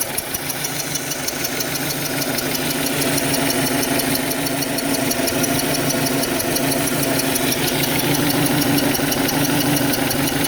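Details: 2006 Audi 1.8T petrol engine idling unevenly, its low hum breaking up in a lumpy, stumbling misfire; it also starts to vibrate when reaching 60 km/h.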